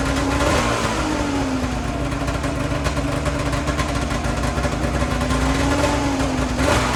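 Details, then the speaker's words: 2008 Ski-Doo Rev two-stroke snowmobile, seller claimed blown up, belt off: steady even burble with light blips, definitely firing on both cylinders, no misses or stumbling, fuel smells terrible; normal idle. "it uh definitely was running on both cylinders there's no doubt about that I mean it sounded consistent and smooth"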